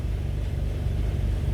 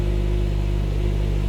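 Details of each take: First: 2010 Honda CR-V, P0171 lean bank 1, closed loop, before repair: low idle with a slightly uneven, wavering beat; fuel trim about 46–49% shows a massive air leak. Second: 2010 Honda CR-V after fixing the EVAP purge valve for P0171 lean code: steady, even idle with no stumble, then revs ease down smoothly; fuel trim now around −3%, down from about 46–49%.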